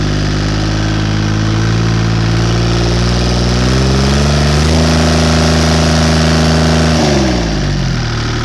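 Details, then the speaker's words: Deutz 2009L03 three-cylinder direct-injected, non-turbo diesel of about 36–37 hp, just after a cold start: an even, steady diesel clatter that rises smoothly with revs and drops back cleanly, running healthily. "so it seems to run pretty good in a second video I'll post it running and showing that it sounds good when it's warm"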